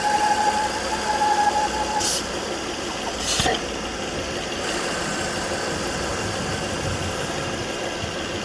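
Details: 2009 Volvo S40 2.4i B5244S7 idling: thin steady howl above the engine note, started suddenly, worst at idle, gone above 1500 rpm; about 4 inHg crankcase vacuum; owner suspects bad PCV oil trap, unconfirmed.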